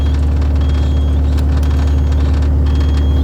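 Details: Caterpillar 259B3 skid steer that started then shut down with low oil pressure light, after replacing oil pressure switch behind starter: deep steady diesel rumble, no dying or surging; stays running, owner suspects wiring issue.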